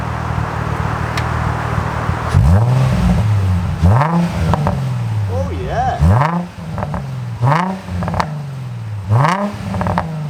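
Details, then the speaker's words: Nissan 350z V6 with newly fitted Japspeed exhaust and new Y pipe, slight gasket gap temporarily patched: sharp rev blips rising and falling cleanly, pops and crackles on overrun, deep tone, no leak chuff; normal exhaust note. "That sounds really good. Since when were them pops and crackles coming from? That's like a nice tone."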